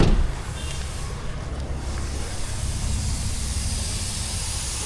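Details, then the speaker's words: Mitsubishi Pajero idling: steady hiss of escaping steam and coolant from a leak at the loosened radiator top cap. "അടുപ്പിച്ച് നല്ല sound വരുമല്ലോ. പുള്ളി എന്തോ പറഞ്ഞ റേഡിയേറ്ററിൻ്റെ top complaint ആണല്ലേ?"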